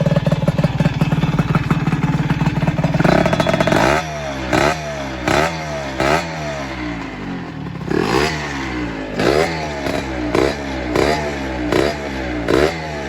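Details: GM LS engine after repair of a blown engine with a broken balancer bearing, new distributor and nuts fitted: even idle, then quick throttle blips that rise and fall cleanly with no knock; it previously failed under hard acceleration.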